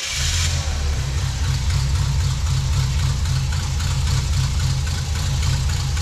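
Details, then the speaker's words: Wrecker V8 with Toker cam at idle before timing: steady, soft, slightly sluggish even low rumble; timing light shows only about three degrees before top dead centre with vacuum advance connected, so base ignition timing is too far retarded. "we still need to set the proper ignition timing with the timing light i can see that we're only about three degrees before top dead center and that's with the vacuum advance still hooked up definitely not where we want to be"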